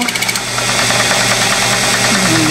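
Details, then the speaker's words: Lathe turning a model crankshaft for a two-cylinder horizontal four-stroke engine, gibs tightened: buzzing, vibrating whine under the cut, rattling then steadier; tool chatter, thought due to tool overhang rather than crank overhang. "another pass getting a little chatter there as you can hear I think that's more to do with the overhang of the uh tool than it is the actual overhang of the crank itself"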